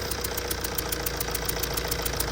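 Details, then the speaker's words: Tata diesel idling with a sharp, even tick about seven times a second from a combustion gas leak at the cylinder 1 injector sealing washer, before repair; washer replaced. "แล้วก็มีเสียงเขกอ่ามีเสียงรั่วหัวฉีดนะฮ่ะมาติดเครื่องดูนะฮะแหวนรองหัวฉีดรั่วนะฮะ"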